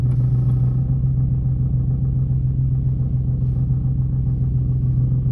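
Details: Nissan 370Z at idle: heavy low rumble with a throb about 3.5 a second and some clunking rattle, cause unclear. Pressing the clutch affects it inconsistently; owner wonders about a lost aux-cord dongle rattling inside but doubts it.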